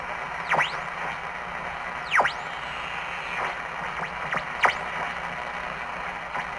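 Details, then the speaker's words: 1947 TempleTone tube radio, first power-up on a variac at about 80–100 volts: faint hiss with swooping whistles as the dial moves and no clear station. It works, but reception is weak and distorted. "well it works but it's pretty sucky it's true"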